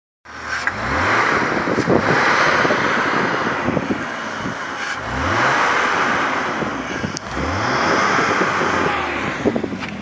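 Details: BMW E39, which also has an oil problem, revved in three pulls with an odd rising whirring sound over each rev sweep as the throttle opens; cause unclear.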